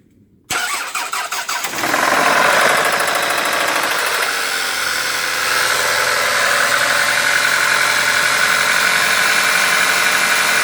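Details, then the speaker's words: Toyota Camry Gracia 2.2 5S-FE engine: cranks, catches and idles with a fast light tapping at about four per second; owner unsure if engine knock or camshaft noise, shop calls it a knock. "Двигатель 5 SFE Camry Gracia. Стук."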